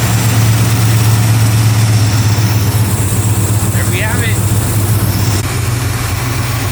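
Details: Chevy 350 V8 truck idling after fixing no-start (parked 3-4 months; cracked fuel line was sucking air, replaced): steady, even low rumble, no misses, knocks or stumbles; healthy idle.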